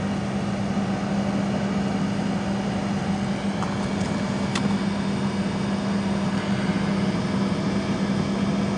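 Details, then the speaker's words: 15-ton Trane rooftop unit on a no-heat call, R-to-W1 jumpered: the multi-speed inducer motor hums up from slow, then relay clicks precede the glow coil and ignition. This is a normal startup sequence. "click there's the click the blower motor you can hear another click and then it should fire that other click is the glow coil"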